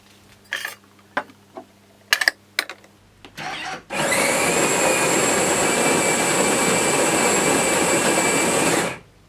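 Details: Jura Z5 coffee machine after rattling-noise repair: after a few handling clicks the grinder runs evenly about five seconds with no rattle or knock; sounds healthy.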